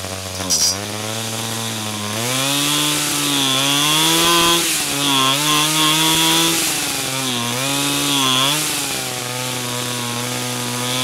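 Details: 49cc/47cc pocket bike two-stroke after carburetor replacement for a non-running condition: runs cleanly, picks up crisply on each blip and settles back without stumbling; running fine.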